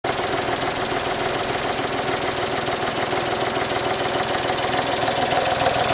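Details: Suzuki Alto HA24 engine bay, idle: fast, light clatter from the air cleaner box whose supporting rubber bushing has worn away; supporting the box by finger confirms it as the source.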